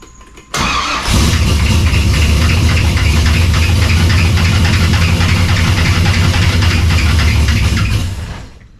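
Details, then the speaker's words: Cold engine, with the cooling fans not yet hooked up, starts into a fast idle with a steady clattering slap at the front. The cause is a very loose drive belt, which was then tightened. "What the hell's that racket? Must be the belt. Thinking all that racket up there, it sounds like there's belts."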